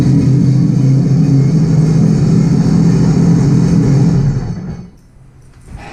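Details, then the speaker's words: 2018 Sea-Doo RXP-X 300 idling after a Riva Racing power filter intake install: a deep, even rumble with no exhaust leaks or ticking before shutdown; healthy. "Well, the good thing, everything works. Didn't sound like there's any exhaust leaks."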